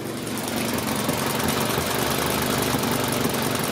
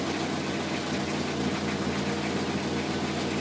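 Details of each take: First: 2003 Toyota Corolla idling with an uneven, stumbling sputter and shaking from a misfire (P0301). It loses power intermittently and no code was shown on the first scan. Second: 2003 Toyota Corolla after repair of an intermittent P0301 misfire with power loss caused by a bad injector: smooth, even idle with a steady low hum and no stumbles; no misfire and it runs better.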